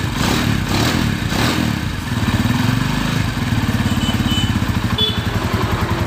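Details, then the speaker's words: Honda Tiger after repairing a worn-out timing chain tensioner: steady, even single-cylinder beat with no rattle or clatter, timing chain quiet; normal running after the fix. "Oke jadi Inilah hasil dari memperbaiki Tensioner rantai taiming yang suaranya kasar tersebut, jadi masalah tersebut terjadi dikarenakan tensionernya yang Udah jebol dan piano klepnya yang udah aus atau termakan gesekan."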